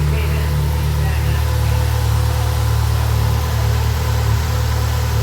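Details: Subaru Impreza GC8 rally car with newly fitted Project X EJ20X engine, twin-scroll turbo, equal-length headers, after good compression test, replacing engine with failed #2 rod bearing: even steady low idle, no knock or tapping.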